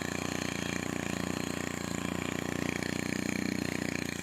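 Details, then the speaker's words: STIHL FC 90 edger after a general service and tune-up, started after priming: a quick, even putter at steady idle with no stumbling or rattling and less vibration than before; normal running. "It's not vibrating as much. Took a lot of that vibration out of there, which is good."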